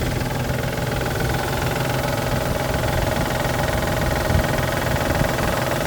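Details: 1999 Isuzu VehiCROSS, 127,000 miles, rough idle with loose irregular front knock about three times a second a month after timing belt tensioner and seals replaced; collapsed timing belt tensioner and failed water pump found, runs fine after fix.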